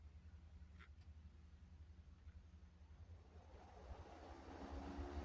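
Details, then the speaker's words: Duracraft 10-inch box fan after cleaning and oiling, blade refitted: low even motor hum with airy rush growing as the blade spins up, faster and moving more air, no rubbing or rattle; normal. "That sounds faster. And that is moving more air as well."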